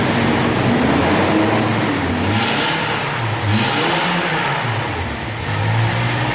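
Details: 2005 Toyota Tacoma 2.7 4-cylinder, previously rattling with no power from a failed catalytic converter, after repair: revs climb and fall cleanly with no choking, hesitation or rattle; no exhaust back-pressure build-up on gauge.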